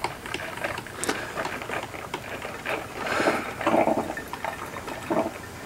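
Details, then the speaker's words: Michael Graves 40304 coffee maker after thermal fuse repair: irregular bubbling spurts and hissy gurgles, a few per second, as the heating tube boils off the last water that can no longer reach the nozzle; normal end of brew. "so that noise is the the sound of the uh the heating tube um boiling out the kind of the last of the water there's no longer enough to make it all the way up through the nozzle so it's just turning that into steam"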